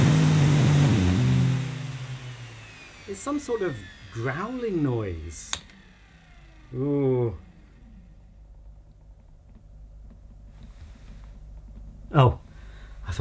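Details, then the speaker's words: 1987 Electrolux Elite Super Electronic vacuum cleaner, first run at 1000 watts: rough low growl under motor note for first couple seconds, then winds down; motor sounds abnormal, cause unknown. "but that motor doesn't sound right i have no idea what they should sound like having never owned one but pretty sure that that's not normal"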